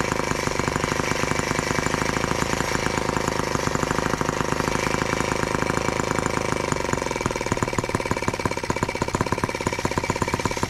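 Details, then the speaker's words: Brand-new TR1 model tractor, first start on 40:1 fuel: rapid sharp two-stroke popping that wavers and loosens, running unevenly; owner thinks the carburetor needs adjusting. "so i might have to do some adjusting on that carburetor"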